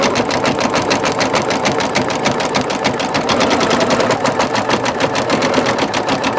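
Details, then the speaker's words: Singer Futura XL 550 sewing machine after fixing a loud bobbin-area rattle: quick, even, crisp stitching chatter about three per second with no rattle or clank from the bobbin; normal running after repair. "did you hear that there's no more rattling the problem has been resolved no more clanking and that bobbin no more rattling"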